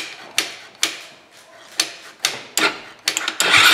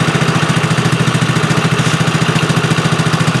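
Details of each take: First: Tao Tao four-wheeler that hadn't run in a couple of seasons, with a missing wiring loom replaced. Slow cranking strokes, then it catches and holds a fast, busy run that never drops back to idle; high idle, suspected from something stuck in the carburetor. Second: Tao Tao four-wheeler ATV, after replacing a missing wiring loom and not running for seasons: steady even putter about three and a half beats a second, idling smoothly and healthy.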